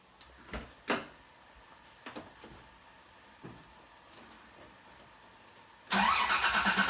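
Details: Toyota truck after stolen catalytic converter, temporary ill-fitting exhaust with muffler only, not yet welded: faint clicks, then engine catches and settles into an even, muted idle with no blowing or rasp from the exhaust.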